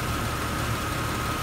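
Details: 1999 Jeep Cherokee after replacing the faulty aftermarket crank sensor with a new original sensor: steady, even idle with a smooth low hum and a faint constant whine, no stumbles or misses; normal idle.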